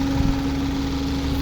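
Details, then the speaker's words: 2010 Honda Civic with a fuel-injected VTEC engine, never fitted with a gas conversion: a steady, even idle hum with no stumbles or knocks, and the engine shows no smoke. Normal idle. "ยนต์เดินเรียบๆนะครับไม่มีสะดุดนะครับลองฟังเสียงเครื่องได้ครับเครื่องของHondaเครื่องvtechนะครับ"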